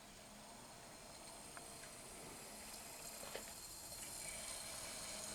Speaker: That sounds like it's seeking. Yeah, there we go.